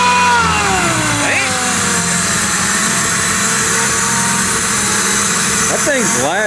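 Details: Mazda Miata with freshly installed Jackson Racing supercharger kit, now speed density instead of airflow meter, first start: engine idles fairly evenly with a loud, steady blower whine over it; healthy, just noisy, tune still needs tweaking.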